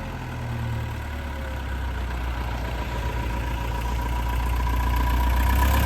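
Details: Old Mercedes van diesel back from four weeks in workshop after engine damage repair: steady diesel clatter at idle, even low rhythm with no knocks or misses, running smoothly.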